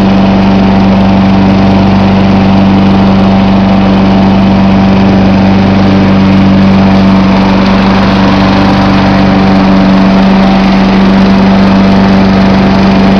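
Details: John Deere 14SE mower, Kawasaki FC150V engine, cold start with choke: loud, steady single-pitch drone that holds without hunting or missing; normal idle.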